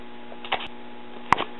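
With the volume fully down a steady low hum and buzz persists, broken by a couple of clicks; a failing resistor is feeding hum. Cause suspected, not confirmed.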